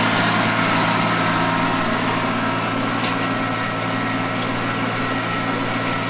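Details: Mitsubishi MT200 mini tractor diesel after a full engine overhaul, break-in done, breather no longer venting, idling during plowing: soft even low hum with no knocks or rattles; the engine is quiet and healthy.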